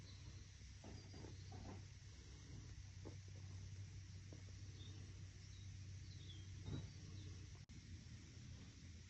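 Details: E-bike hub motor hum with scattered dull knocks from a broken plastic planetary gear with badly damaged teeth, to be replaced with a metal gear.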